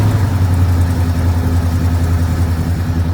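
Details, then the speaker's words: 1973 Ford Gran Torino Sport, 351 Cleveland V8 sat 35 years, no fuel pump, running only on fuel poured into the carburetor: steady, even low idle rumble with no knocks or misses; runs really good, normal idle. "There you go. Look how good it runs. Just running on the little bit of spray I put in there. Wow, that thing runs really good."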